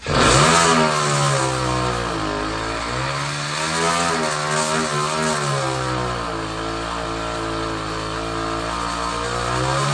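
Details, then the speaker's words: 66cc (also called 60cc) bicycle-kit two-stroke on hydrogen, hydrogen carburetor, regulator at 3 PSI, standard timing: revs up and down with sharp pops on deceleration, backfiring out the carburetor and exhaust; timing needs retarding, and owner suspects poor piston-ring sealing letting hydrogen into the crankcase. "whoa now that was pretty awesome a lot of backfiring going on out the carburetor it's obviously not got a good good seal around the piston rings and the combustion chamber of all the hydrogen mixed into the crankcase there but it always backfired when I de-accelerated"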